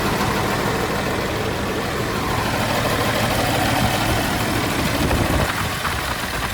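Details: John Deere JD6081H diesel, 10,739 hours, in a 300D articulated dump truck being parted out for differential issues: deep, steady idle rumble with an even clatter and no stray knocks, sounding healthy.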